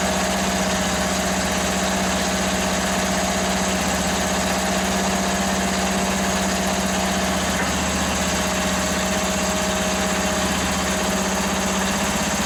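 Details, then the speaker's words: Free Toro ride-on mower's small single engine runs after fuel was raised above to fill the float bowl: steady even chugging idle, constant drone, no misses; healthy, though it needs a new battery. "let's try it again oh look at that she's a runner yeah obviously it's going to need a battery"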